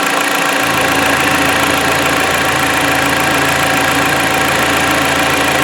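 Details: 2016 Jeep Patriot 2.0 inline-4, after cylinder misfire codes: piston-cleaner carbon soak, 30-minute run-in and oil change. Now a steady, even idle with no stumble or skipped beats, running cleanly.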